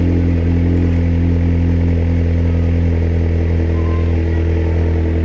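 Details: Vauxhall VX220 / Opel Speedster with a Z22SE engine at steady idle: deep hum with a fine, regular clattering knock underneath, cause not identified.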